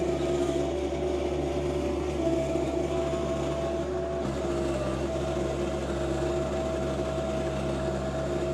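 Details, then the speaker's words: John Deere 2025R compact tractor driving a Tarter RT205 rototiller, back in service after its top gearbox lost oil and seized. It is tilling garden soil mixed with sawdust and wood-burner ash. Steady, even drone under load with no knocks, grinding or clunks: normal running. "so I'm going to put you on on the tripod maybe a time lapse here and get this uh broken up even more"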